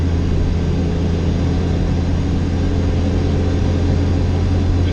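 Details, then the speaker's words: B20 VTEC Honda swap with Jackson Racing supercharger, realigned belt after earlier belt slip, fuel added to tune, third gear holding 14 psi boost; deep steady drone pulling hard under full boost, no surging. "definitely slipping before now we're at 14 pounds of boost"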